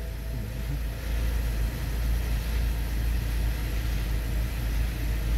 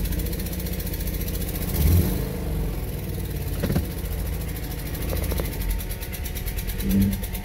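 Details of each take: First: Low, smooth, even idle with a steady level and no knocks, stumbles or dropouts, right after a replacement OEM-brand, China-made sensor was installed; it started instantly and now runs properly. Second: 2017 Subaru Outback, 70,000 miles: engine revs unevenly with irregular stumbling and popping under throttle, one cylinder dropping out; a blown or defective spark plug is suspected.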